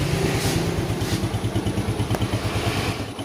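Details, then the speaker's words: Yamaha Jupiter Z1 / Vega ZR after repair of scored bore, piston and worn valve stems, slight white smoke from oil left in muffler: even, steady idle putter with light throttle, no knocks or ticks; engine sound normal again. "Digas tipis-tipis ya teman-teman. Nah, oke, teman-teman, jadi ini suaranya sudah normal lagi."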